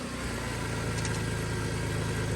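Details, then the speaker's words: Audi engine idling just after exhaust flex-pipe welding, with a heavy low drone and a faint steady whine over it; the power steering pump is suspected of struggling, not confirmed. "It literally sounds like power steering's not happy."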